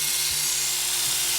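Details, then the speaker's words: Hair clipper with a perfectly oiled and sharpened blade: bright, even high buzz, steady low drone, no rattle or labouring; clipper running properly. "perfectly oiled and sharpened, it sounds great. And it'll cut great."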